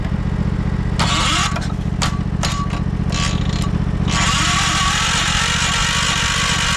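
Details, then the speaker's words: 1968 John Deere 140 garden tractor, first start attempt after new parts and mouse nest removal, given carb cleaner: starter churns steadily, smoke from exhaust but never catches; crank no start, owner suspects flooded carburetor. "I'm seeing smoke coming out of the exhaust. It's trying. Let me try to give it choke."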